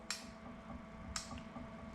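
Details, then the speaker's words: Series 8 printer commissioning, printhead solenoid valve (inside the printhead) actuated from the controller test button: three crisp clicks about a second apart over a quiet hum; valve switching cleanly, normal. "and then the add make up valve and again Goods clicking from each one of those so it's tested each of the solenoids"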